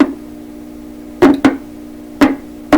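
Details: 1928 RCA Victor Model 28V radio during signal-tracer troubleshooting: steady low hum broken by sharp, irregular pops; intermittent crackle, source not yet found, possibly something shorting when touched.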